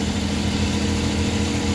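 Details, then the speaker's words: Suzuki DA64/DA63 minivan engine, previously vibrating badly, idling after engine reassembly. Steady, even, smooth idle with no knocks, misses or rough pulsing; the engine is running normally. "Check natin kung Kumusta na yung andar na to yon So far okay na yung andar niya"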